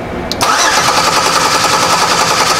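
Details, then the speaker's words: 2005 Chevy Equinox 3.4L with a crank-no-start: steady, even cranking that never catches; spark, fuel pressure, and the computer's injection pulse are all present, but there is no power to the injectors because the main relay is not turning on. "so we have injection Paul so we have spark we have fuel pressure what we're missing is power to our fuel injectors"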